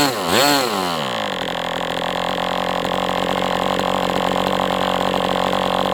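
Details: MDS 68 FS Pro model engine on a break-in run, heavy exhaust smoke: quick rev sweep, then a steady high even buzz with no misses or sag. Running well, better than with the idle bar plug, after carb tuning.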